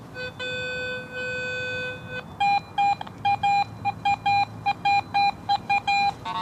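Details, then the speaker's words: Garrett AT Pro metal detector in Pro mode: a clean steady tone from a quarter reading about 85, then choppy beeps from the surrounding iron trash; the good target clearly stands out. "what that is ah right there i'm getting iron trash readings all around that but that quarter you can really pick it out and it stands out"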